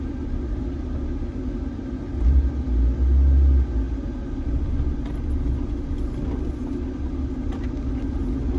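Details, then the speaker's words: Jeep Wrangler driving after repairs, cold start with AC on at full fan load: steady low road and engine rumble with no rattle or knock so far, though it ran rough with AC on. "no rattles so far"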